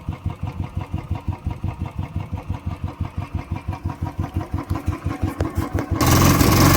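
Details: Royal Enfield Bullet 350cc started on the second kick in cold winter weather after about one and a half months unused. A slow, even single-cylinder thump at about three beats a second with no misses or knocks. Healthy idle.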